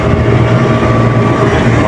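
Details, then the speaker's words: Aircon compressor replaced with a new one after high amperage; now drawing about 10–11 A, suction line hot and sweating. Steady even hum, low drone, no rattles, knocks or squeals: new compressor running quietly and normally. "Okay na guys, tahimik na siya."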